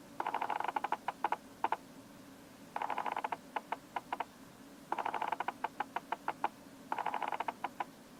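Quiet room, and about every two seconds a burst of rapid faint ticks as the lens racks focus; normal autofocus motor noise.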